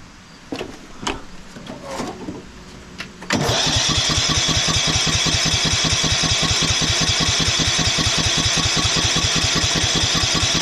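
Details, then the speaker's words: 1991 Craftsman LT4000 barn-find lawn tractor cranked by battery pack after choke use: steady even chugging, about 2.5 beats/sec, never catches; compression feels good, spark found weak, carb fuel suspect, timing to check; crank no start. "not a single pop it feels like we have compression we saw a spark fuel should be better always think about timing"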